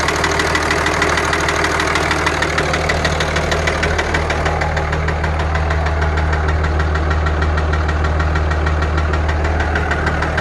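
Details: 2003 Dodge Ram 2500 5.9 Cummins diesel idling: regular hard tick-knock about three a second over a deep drone, like piston slap; owner suspects a leaking injector, unconfirmed.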